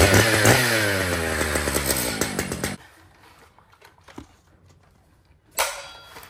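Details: Brand-new Stihl MS 881 chainsaw with 36-inch bar and chain, freshly set up and tuned: sharp high revving held steady a few seconds then cut to quiet, crisp with no hesitation; normal running.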